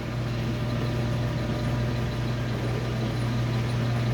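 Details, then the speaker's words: Washing machine that won't spin, loaded with heavy waterlogged towels, on the spin-only cycle: only a steady low hum as the drain pump seems to run, while the drum never spins up. Cause not confirmed; owners suspect an overloaded tub or overheating. "Sound like it's trying to suck the water, right?"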